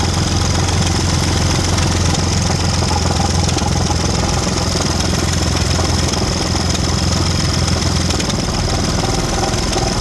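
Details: Audi 3.2 V6 knocking at idle: loud, busy idle with a steady rattling knock; about 20 fault codes, crank/cam correlation codes, owner suspects the timing chains, not confirmed.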